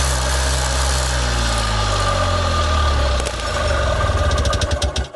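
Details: Columbia Parcar (Freightliner-badged) gas golf cart, revived and being run out of its old fuel: small single chugs at an even idle for three seconds, then stumbles and sputters out as it runs dry; idle itself healthy.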